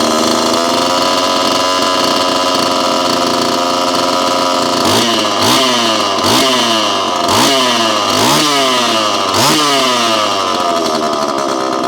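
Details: Repaired Homelite Super EZ chainsaw, boxed about two years after transit damage, on its first test run after reassembly. Even idle, then six quick throttle blips that rise and fall crisply without bogging; throttle response is instantaneous, "a lot of zing": normal throttle response.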